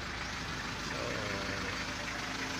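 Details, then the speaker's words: Car at idle after the AC compressor relay was rewired (pin 85 as a negative trigger to the switch, 86/30 to the battery, 87 to the compressor's yellow wire): a steady compressor whir, no knock or squeal. The relay light is on and the compressor runs normally. "So ayan, gumana, may ilaw yung relay. So good. Meaning doon bumubomba na rin."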